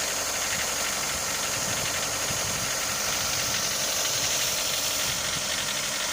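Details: Mitsubishi Lancer 9 1.6 at warm idle: no knocks at a cold start, only slight shaking, but once hot a light, fairly quick metallic tapping rides over the engine hum; the knock appears hot, cause unclear.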